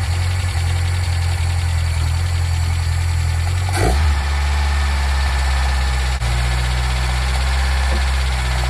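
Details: Nissan Micra K10 after the carburetor auto choke was repaired, started cold and run up to temperature: steady, even low idle with a fast-idle hum and no knocks or misses. The choke works and later opens as it warms.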